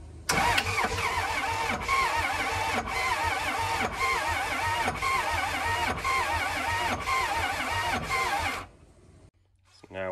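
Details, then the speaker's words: Abandoned diesel motorhome, sitting for a long time, at 12.13 V with starting fluid sprayed: long steady cranking at about four turns a second that never catches. Fuel is suspected; new fuel filters, batteries and fresh diesel were tried afterward, still no start. "power's over here but still not starting yes okay we're spinning over but let's get more power"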